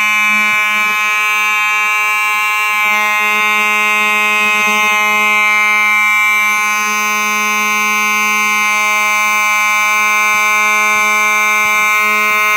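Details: Simplex 4903-9219 horn strobe, set off by a Simplex pull station converted to conventional use: loud, steady, buzzy horn tone, even with no dropouts or wavering; the horn strobe sounds normal.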